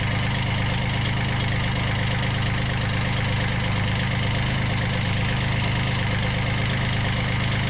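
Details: 1991 Kubota B7100 HST diesel just started with low throttle after glow plug preheat, following a fuel filter change and radiator stop-leak, not yet warm: even, steady idle clatter at about two beats a second with no misses or surging; it runs healthy.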